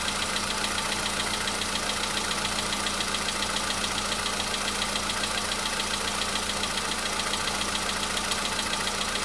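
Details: VW Polo Sedan engine at cold idle, a day after oil change and flush with flushing oil: steady light ticking knock about 3.5 per second over even hum; knock was absent the day before, now back but quieter.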